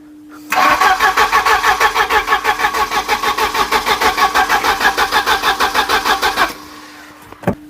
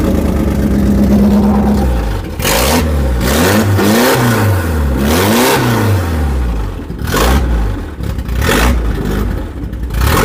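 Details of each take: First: Volvo 740 scrapyard save, unstarted for about 20 years, plugs refitted after rejuvenating the metering head, coil disconnected: even starter cranking at about three beats a second for six seconds and never fires, no spark. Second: Volvo 740 petrol engine, first start in about 20 years after scrapyard rescue: brief crank, fires, then revs rise and fall in clean repeated sweeps without misses or knocks; starts and runs healthy.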